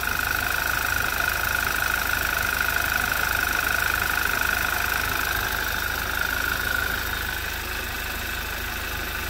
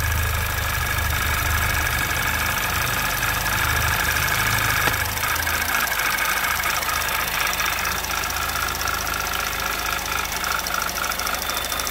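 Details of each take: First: 2011 Audi TT Quattro 2.0T TFSI first run after engine damage repair, sat 1.5 years with old fuel, chilly day: smooth even idle with faint steady whine, no knocking, settling quieter, oil pressure about 25 psi; sounds healthy. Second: 2011 Audi TT Quattro 2.0T TFSI on its first run after engine-damage repair, chilly day, oil possibly slightly overfilled. Light ticking about three per second at idle; oil pressure 40–45 psi. Lifters are noisy, maybe still filling; unconfirmed.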